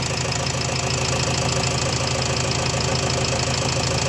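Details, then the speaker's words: Renault Trafic 2 / Opel Vivaro 2.0 M9R780 diesel after replacing a faulty piezo injector and re-priming the pump: a steady, even idle with a soft regular beat and no shake or vibration; running smoothly again. "injecteur changé le camion a démarré bon au bout de de H coups parce qu'il fallait réamorcer la pompe mais là le bruit est vachement vachement fluide ça vibre plus comme"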